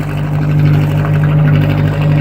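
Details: Atomic 4 inboard boat engine at steady idle at 40–45 psi oil pressure with temperature rising; a smooth, even low drone with no ticks or knocks. It sounds much better.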